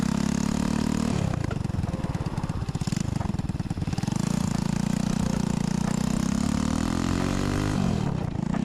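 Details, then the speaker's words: Chopper build with a new 125cc 4-speed single-cylinder engine, no cover, exhaust cut short for kick-start clearance: harsh, open, popping bark rising and falling with throttle, far too loud. "so uh as you saw we had to cut the exhaust um so now it's just loud it doesn't sound good"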